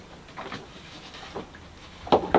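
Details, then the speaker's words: Universal M25 inboard diesel in a Catalina 30 sailboat, hard to start: a couple of sharp clicks at the starter button, engine won't turn over; multimeter voltage checks showed a faulty solenoid, which was replaced and the engine then fired up. "in our case when we tried to start the engine we could hear a click when we pushed the starter button but the engine wouldn't turn over"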